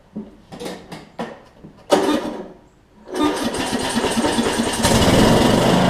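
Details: Troy-Bilt Bronco with Briggs & Stratton 18hp Intek, replacement Chinese Nikki-copy carb; cold start after a few pulls, runs with rising hunting beat at no load; lean low-speed jet, to be drilled out.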